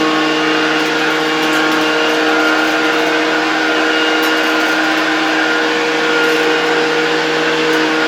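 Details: 1972 Hoover 1346A vacuum cleaner, fully reassembled and test-run in the workshop without a dust bag: a steady, even motor hum at constant pitch with no rattles or scraping, so it runs smoothly.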